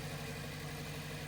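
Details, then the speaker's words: 2006 Pontiac Vibe 4-cylinder, 450,000+ miles, P0303 misfire, idling during coil/plug swap test: uneven lumpy pulse with recurring stumble; unplugging cylinder 4, which now holds cylinder 3's old coil, gives no response, so the coil is bad. "And then 4. Got no response. We got a bad coil here."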